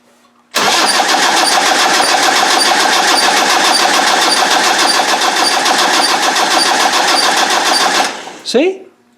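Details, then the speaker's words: Land Rover 300Tdi diesel cranked with the injector pump off, tachometer tape on crank and cam: steady cranking with a fast chirpy squeak at one point each turn, then winding down, nothing on the camshaft; squeak while cranking, cause unknown. "see what the hell is that that got me going down cuz there's nothing on this cam there's nothing on this cam shaft at all"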